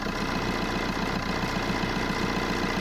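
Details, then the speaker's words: Ford Ka at idle after starting: fast even buzzing rattle from a part vibrating loose because its usual retaining clamp is broken. "quite annoying when you start in the car you just need something to hold that in place cuz you normally got a clamp that's Clips onto that and Al place like that but that's broken on this which is quite standard"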